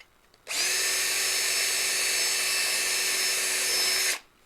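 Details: Cordless drill with a fresh battery, 5/16 bit enlarging holes: clean steady high whine at constant pitch, starting and stopping crisply, no bogging or stutter; running properly.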